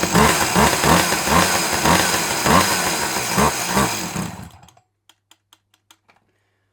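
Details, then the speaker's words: Dolmar 100 chainsaw bought on eBay, two-stroke: owner says no petrol getting through yet it runs strongly, even buzz pulsing about 2.5 times a second then cutting dead; starting trouble blamed on weak pull-cord spring, spark confirmed; fuel delivery fault. "no petrol getting through but she runs and she runs bloody well"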